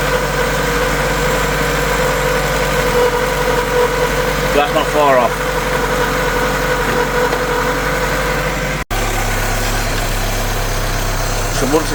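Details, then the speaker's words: 1974 VW Passat B1 with swapped-in GTI engine, ignition timing just set with a timing light: even, steady idle with a constant hum and no knocks or misses; engine running sweet, normal idle. "And as you can hear, the engine's running sweet."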